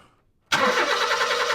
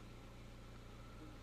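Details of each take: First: 2005 Honda Jazz with fault code P0339 (crankshaft sensor A circuit intermittent), cranked with the crankshaft sensor disconnected. The starter churns the engine steadily, but it never fires. Without the crank sensor input it cranks but won't start. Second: 2005 Honda Jazz after the crankshaft sensor was replaced for code P0339: steady, even low idle with a smooth firing beat and no misses or stumbles. Normal idle; no other codes returned.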